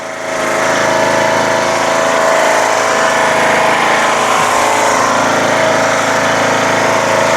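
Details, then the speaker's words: Craftsman LTS1500 lawn tractor repowered with a rebuilt 17.5 hp Briggs OHV single-cylinder engine, valve lash redone, new fuel lines and filter, carburetor untouched: steady even idle with no misses or knocks, runs great. "it works and runs great you know so we have a direct replacement 17 point five horsepower engine on the original stock model"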